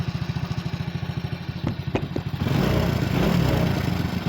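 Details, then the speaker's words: Old Honda Supra X motorcycle with noisy engine and oil leaks, including the magneto seal, just started, before teardown. Rough idle with a clattery rattle on each firing beat, then revs rise: timing chain rattle. "Setelah saya menyalakan mesin, memang mesinnya berisik, dan akan segera kita bongkar"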